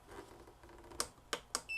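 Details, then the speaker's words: Black & Decker VEC1095ABD battery charger, about 20 years old with hard-to-press buttons, plugged in with no battery connected: button clicks, then one short high beep as it runs its check. "It beeped so it's doing the little circle check"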